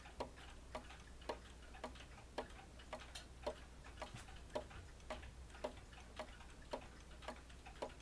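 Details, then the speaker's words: Repaired 30-hour Ogee clock movement, fully disassembled, cleaned and oiled. The verge assembly had been so far off that the tick was badly out of beat; after repair, crisp evenly spaced ticks with equal gaps, roughly two per second; clock in beat. "it's a lot better than it was because before when I got the clock the beat the uh Verge assembly was so far away that the beat it tick was way off"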